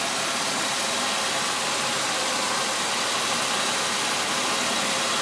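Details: Suzuki Vitara V6 first start after a timing chain replacement: steady, even, hiss-laden idle with no knocks or misses, much better than the earlier near-exploding sound; runs smoothly and healthy, normal idle.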